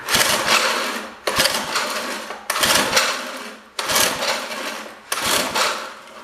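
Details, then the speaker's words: Old rototiller with Briggs & Stratton engine: pull-start rasps repeat about every 1.25 seconds, each dying away with no firing; it is getting gas but cranks without starting. "still no she's being define it ready this is risky and it's getting gas"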